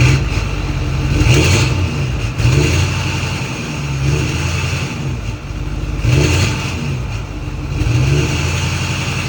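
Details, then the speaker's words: Ford F350 6.4 Powerstroke diesel after new turbo install, revved by foot from about 780 rpm: even rumble rising and settling, turbos spooling cleanly with no squeal; no oil burning now. "Now, I could go in there and manually do it with my foot, bring it up to 1,100 RPM. Cuz this is like like 790, 780 RPM."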